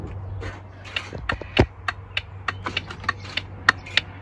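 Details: Volvo VNL truck after replacing and soldering the dash turn signal/buzzer speaker: crisp ticks at a steady rate over faint hum; left turn signal and hazards ticking normally, repair working.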